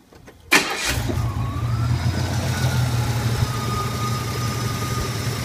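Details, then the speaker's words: 1981 Turbo Trans Am warm start after a drive: the V8 catches quickly and settles into a steady idle with a faint thin whistle until throttle is applied, when the air management valve noise returns. "Slight whistle coming out of it until I hit the gas, and then you'll hear that air management valve again."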